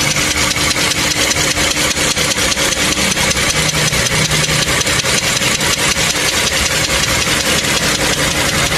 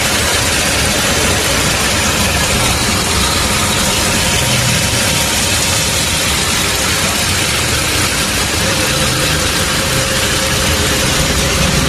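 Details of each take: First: Toyota Camry 3.5 L V6 2GR, about 100,000 km, recorded in the engine bay at warm idle: sharp, regular metallic ticking knock, several taps a second, heard even inside the cabin; worn connecting rod bearings, before engine overhaul. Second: Toyota Camry 3.5 L V6 (2GR) at about 100,000 km, after full engine overhaul and new electrical connectors, test-run idle: steady, even, smooth, unbroken running with no knocks or ticks; the rebuilt engine sounds healthy.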